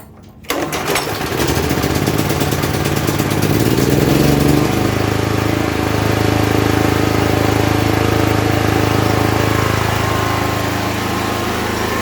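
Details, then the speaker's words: Generator at 1,920 hours after 3.5 years, converted from electric start to a choke carburetor: the pull start catches at once, briefly surges, then holds a steady, even drone with no hunting. Normal running. "I don't know if you can hear, but there you have it. It runs, it works."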